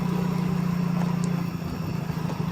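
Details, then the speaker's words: Yamaha Mio J scooter after the cam chain and chain tensioner were replaced and the top timing was reset: an even, steady putter at idle with a clean low tone and no ticking from the top end; it runs normally after a restart. "Kita matikan dulu dan kita hidupkan kembali. Oke, dan sudah normal ya, Guys."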